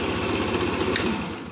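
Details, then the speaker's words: Arora Proxy R50 scooter with the idle set too low, before throttle cable adjustment: the small single cylinder ticks over fast and choppy, running lifeless and hesitant, then fades and dies within two seconds; low idle makes it stall. "Yani bunu bile rölantisiz olduğu için bunu bile oynatıyor arkadaşlar Cansız ve ürkek çalışıyor"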